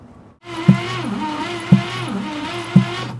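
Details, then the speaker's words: 1962 Cadillac Sedan DeVille, 390 cubic inch V8, parked 30+ years, cranking during compression test: sharp knock about once a second over a slow starter whir; cause unknown. "you guys hear that that knocking that bo bo what is that noise oh I don't like that"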